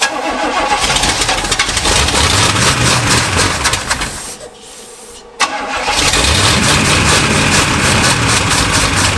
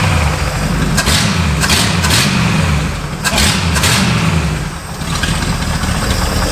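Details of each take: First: Abandoned Pontiac barn find that sat 20 years, carbureted V8, with the carb bowl being filled by hand: it cranks, fires strongly on all eight, then fades and dies, repeatedly. Fuel starvation, with the bowl not filling. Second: Revived carbureted Pontiac barn find that sat 20 years: snappy throttle blips drop back cleanly to a steady, smooth idle with no knocks or rattles, oil pressure 35 psi at idle. Normal idle.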